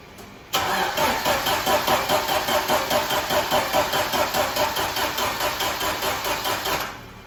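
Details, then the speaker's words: Fuel-injected engine in a 1995 Jeep Wrangler YJ, not run for at least 18 months, cranked with cables straight to the leads because the battery is dead; starter turns it over steadily at a quick even beat about six seconds, no fire; crank, no start, spark plugs suspected. "All right, guys, no dice so far. So turns over, that's good. No fire, no spark, didn't want to do anything."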